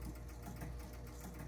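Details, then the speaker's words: Gottlieb North Star pinball machine with reported score motor run-on: after pressing start, quiet steady whirring with rapid clicks as the motor keeps running; score reels not resetting to zero. "So, the scores are not resetting. That's probably not such a big deal."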